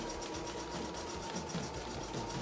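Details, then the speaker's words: Embroidery machine being put through its paces before its return. Rapid, even chatter of needle strokes at a steady pace with no knocks or grinding. Normal embroidery machine stitching. "no it's um what you can hear is part of my work actually I'm just testing a embroidery machine I putting it through its Paces because I'm taking it back tomorrow"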